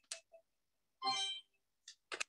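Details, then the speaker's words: Amazon Alexa Show and Tell device scanning a held product in a quiet room: scattered light clicks, then a bright ringing chime under half a second; normal successful-scan confirmation. "and eventually you get a little kind of a bidding when you when when you successfully scanned it"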